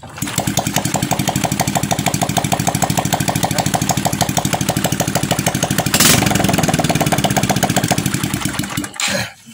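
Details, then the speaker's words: Honda Supra X 125 after repairing kickstarter slipping and gears not engaging: single-cylinder engine starts, idles evenly at a quick idle, blips briefly, then shuts off; runs cleanly. "nah ini sudah tidak Los lagi Bos motor sudah bisa menyala ini akan coba Saya nyalakan sebentar"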